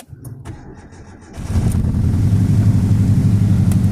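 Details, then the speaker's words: Beater car started after reconnecting the battery, oil unchecked; cranks briefly, catches and settles into a low, slightly uneven idle; owner says it's still misfiring, horribly, and suspects a broken manifold; cause unclear. "it sounds like it's still misfiring oh yeah absolutely horrible"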